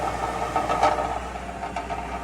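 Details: 2005 Mercury Grand Marquis GS V8 at steady idle with a faint, irregular tinny rattle coming and going from underneath the car for two weeks; owner unsure if resonator, heat shield, catalytic converter or muffler is loose. Cause suspected, not confirmed.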